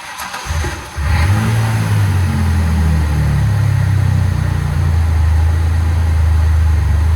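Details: 2003 Ford Ranger 3.0 V6 Vulcan cranks briefly, catches and settles into a steady, even idle after a MAF sensor replacement. Earlier the IAC valve was replaced, and the RPM had been dipping from 800 to 400 and stalling.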